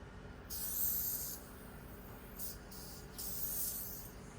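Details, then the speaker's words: WE M92 Beretta silver gas blowback airsoft pistol, long used without silicone oil: three sharp high hissing bursts of escaping gas; leak either in magazine or inlet valve, location unconfirmed, suspected dried-out interior or damaged inlet. "Oh, meron siyang leak. Hindi ko alam kung saan yung leak niya. Either dito sa magazine or dito sa inlet."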